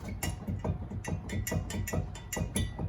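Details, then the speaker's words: 2009 Chevy 4x4 truck 4.8, hub worked by hand: irregular hollow clunks and rattles about two a second, harder to roll and stops quickly versus other side; worn loose wheel bearing and hub. "and you can kind of hear the bearings all loose in there and it's also harder to roll"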